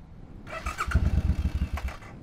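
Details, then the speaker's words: Motorcycle that just stalled after running out of gas at 63 miles: restart attempt gives short uneven sputtering bursts, catching weakly and struggling, before switching to reserve. "something's weird something's weird it's stalled it's stalled no I hear the gas huh what happened am I out of gas already let me just try to start it real quick"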